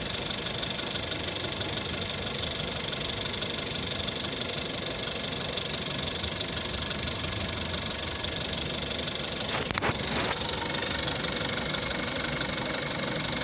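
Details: A VW Jetta 6 1.4 TSI CAXA at 125,000 km, on a cold start: a steady, fast metallic rattle of about three ticks a second over the idle. Worse after sitting over 3 days, it fades once warm and was first noticed at 60,000 km. The timing chain is suspected but tested not stretched at 100,000 km; source unclear.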